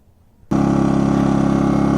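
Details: Pulsar PG2200BIS 2200W dual-fuel generator starting for a 13.5k BTU RV air conditioner test without a hard-start capacitor; catches and settles into a smooth, even hum with a steady low drone; normal running.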